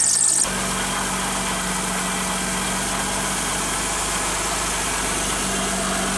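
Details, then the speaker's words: Wet serpentine/drive belt squealing steadily at idle after water got on it, before the fix of applying cornstarch to the belt; the noise disappeared afterward. "Bien amigos como vieron ese ruido que hace la banda es porque se mojó le entro agua entonces les voy a dar un tip de como quitarle ese ruido"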